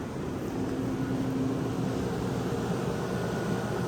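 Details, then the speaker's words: Vintage Westinghouse 10,000 BTU A/C; even fan rush over soft steady hum, no rattles, knocks or squeal; works pretty well, normal running. "i got a pretty good deal on it and it works pretty well"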